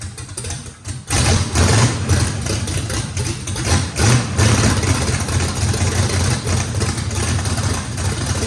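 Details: First start of a race engine with a radical camshaft, after battery recharge: catches after a second, then settles into a rough, loping big-cam idle that holds steady; normal lopey idle, needs a lot of throttle to idle.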